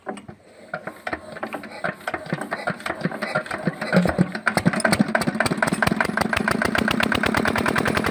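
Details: Fitter engine pump after bleeding air: a few ragged puffs as it catches, then firing builds into a quicker, steadier chug; running normally now fuel gets through.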